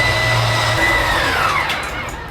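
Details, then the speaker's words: 2023 Forest River Salem 178BHSK RV slide-out extending from inside switch: steady electric motor whine dropping in pitch as it loads, then dying out at full extension; normal slide-out motor operation. "Once it fully extends, you'll hear it die out just like that."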